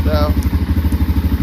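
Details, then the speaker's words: 2005 Can-Am DS650 quad, bought for $1000, started before a test ride, oil pressure/coolant light went off instantly: even, steady thumping about eleven beats a second, no knocks or misses; clean, healthy idle. "all right this thing runs pretty good uh it's not as powerful as I thought it would be but then again you it does have this restricted muffler on it"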